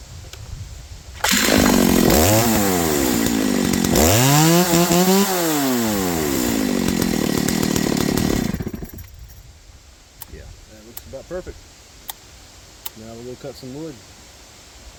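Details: Stihl MS290 Farm Boss chainsaw after replacing a worn drive sprocket that was binding the chain, chain retensioned: crisp throttle blips climbing and falling cleanly, then a steady idle with no hesitation; normal running.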